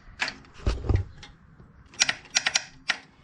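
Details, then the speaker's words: Abandoned Bolens FS-11 articulating tractor with a new battery fitted, key turned: a few quick, dry clicks in short bursts and no cranking at all. The starter solenoid is bad and a replacement relay has been ordered. "Just got a clickety clickety. Good thing I ordered an Amazon relay."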